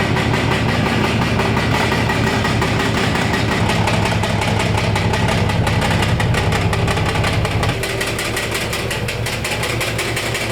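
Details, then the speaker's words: 1965 Ford Mustang at idle while warming up: light, uneven metallic rattle over the firing beat that gets quieter as the engine warms, as it does each time; source not pinned down, owner fears the flywheel. "now you can hear it already it's getting quieter still a little bit of rattling"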